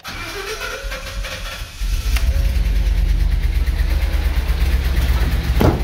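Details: 2015 Ford F-250 6.2 L gasoline V8, 169,000 miles, starting: cranks and catches, then idles rough and uneven with a loping, swishing chuff under heavy rumble; knock and misfire, owner suspected a dropped intake valve, found a broken valve spring.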